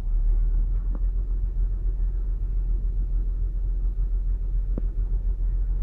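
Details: 2008 Saturn Outlook cold start: low, uneven idle with occasional stumbles and pops on the cold engine, misfiring; owner wonders whether commanded air/fuel ratio dips during open loop, a computer glitch, cause it. Unconfirmed.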